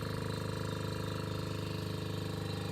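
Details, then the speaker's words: On-board air compressor (100% duty cycle at 100 PSI) for an off-road Ford F-150, drawing about 23 A: even rapid pulsing hum, sluggish and weak; owner suspects low voltage. "Sounds a little weak though. Maybe I need to get some extra voltage here."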